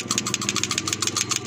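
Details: 2021 Toyota Avanza with misfire, cylinder 3 misfire code, four new spark plugs and coil swap ruled out: loud, fast metallic ticking, about fourteen per second, over uneven idle; valve cover off shows cylinder 3 rocker arm dislodged; misfire.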